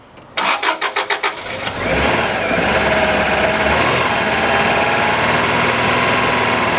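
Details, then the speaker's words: Subaru RS Liberty AWD turbo manual parked 10 years, after suspected blocked injectors got fuel pressure and heat cycle: rapid cranking, then catches into steady even idle with no misfire; injectors working, runs healthy. "you sound good that's good we're golden guys right on that's us injectors are working we just had to get it happening get it to heat cycle get some pressure running through those injectors and that is what we have done"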